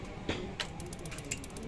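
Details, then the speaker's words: BS6 fuel-injected motorcycle at idle after starting: light quick ticking with sharper clicks from the idle air control valve (IACV) regulating idle; normal. "आवाज़ आ रही है ना, ये होती है हमारी IACV वाले, यानी कि आइडियल एयर कंट्रोल वाल्व।"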